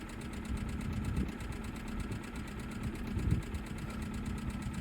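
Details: Cheap Hyundai budget race car at idle with codes for cylinder 2 and 3 misfires and catalyst efficiency below threshold on bank 1: low, uneven idle with irregular thumps and stumbles. Misfire suspected to be caused by bad fuel.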